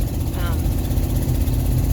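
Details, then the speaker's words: 2002 Ford Expedition on a hot-day test drive, under acceleration: deep, loud rumbling exhaust with a raspy edge. Exhaust leak suspected at the front donut gasket, possibly underneath; not inspected. "So you can hear when I put on the gas, you can hear that exhaust leak. Most of the time that's up by the donut gasket."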